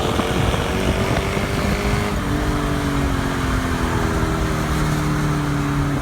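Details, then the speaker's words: 2002 Mercedes-Benz E430 V8 (W210) with stock exhaust except the rear muffler cut off: loud, deep, booming exhaust with a steady low drone that shifts with engine speed; muffler-delete drone, noticeable on the highway. "it did sound nice and I I I could live with it cuz I didn't really drive too much on the highway at the time but yeah I did drone"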